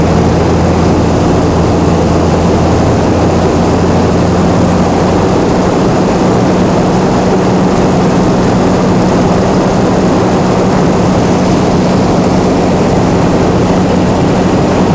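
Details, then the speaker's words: Chrysler 225 Slant 6 generator set on newly installed Holley Sniper EFI, idle screw raised with governor not yet connected: steady, even drone at constant pitch, no surging or misses. Normal running. "I'm gonna see if I can set the uh set the idle screw high enough to get the engine to rest at 1800."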